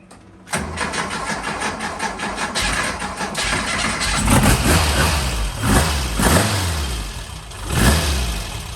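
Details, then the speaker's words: Freshened real Porsche engine in a Speedster replica, cold start on the second try after expected flooding, with fuel pressure being watched at 2 lb; it catches right away with clean throttle blips and no coughing. "this is this is the usual Tom cson deal you turn the key and it runs like this"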